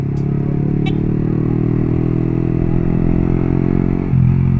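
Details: Sport motorcycle engine shown in an oil-change symptoms demonstration: even, steady exhaust note with a settled low rumble and no ticks or rattles. Smooth-running engine.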